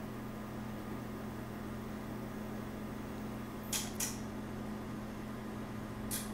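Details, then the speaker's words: TV power supply board EAY60968801 installed in the TV before repair, at power-on: quiet hum with three sharp relay clicks, two close together then one about two seconds later; the board fails to start. "okay so when I crank it up you hear the clicking you see a little"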